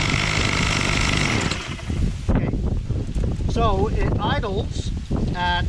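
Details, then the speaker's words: Bolens MTD BL-160 25cc two-stroke trimmer after cleaning a debris-blocked carburetor mesh, started on half choke: buzzes a couple of seconds then cuts out abruptly when throttled; owner suspects carburetor mixture screws need reset. "when the choke is almost completely closed then when you open it stayed idling but then once you tried the throttle it uh died out so i'm gonna go get my fuel adjustment screws and see if we can reset this"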